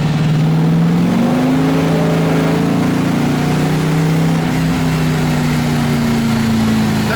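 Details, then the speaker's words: LS1-swapped Nissan S13 drift car driven in fourth gear under throttle: engine note climbs then holds steady drone with little change, car barely accelerates; clutch slipping in second gear and above. "So basically the biggest issue with the car right now is the fact that the clutch will slip in basically second gear and any gear higher."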